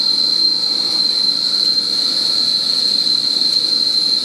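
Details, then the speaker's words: Lathe cutting 17-4 PH stainless steel flange bolt with the tailstock live center not spinning (possibly pushed back slightly); loud steady high squeal as the work rubs, feed slowed. Squeal from the non-rotating live center. "Got my earplugs in for that. I slowed my feed down because I can tell the live center isn't spinning."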